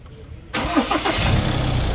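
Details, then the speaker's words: Ford Ranger MC diesel, starting after replacing the alternator pulley bearing, belt tensioner pulley and front belt. Short crank, clean catch, steady idle; belt noise completely gone. "อ้าวเงียบแล้วนะจ๊ะรอดไปนะครับสำหรับคันนี้นะฮะเสียงหายเป็นปลิดทิ้งเลยนะครับ"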